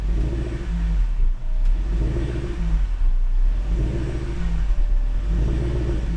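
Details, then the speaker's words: Supercharged Range Rover (L322) after MAF cleaning and PCV replacement: repeated blips, each falling back to an idle that hunts briefly before settling. It runs a little rich to compensate for bad gas, with some smoke from oil left in the intake by the bad PCV valve; the ECU adapts. "But it's already idling really well, and it revs fine. It's just, this is running a little rich right now to compensate for the bad gas."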